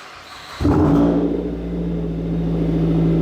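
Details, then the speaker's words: Mazda 3 with aftermarket cat-back after welding in a new exhaust flange to stop the gasket blowing out: loud, steady droning exhaust that swells slightly with throttle, no puffing or ticking; normal exhaust note, leak fixed. "Not bad. That's pretty loud."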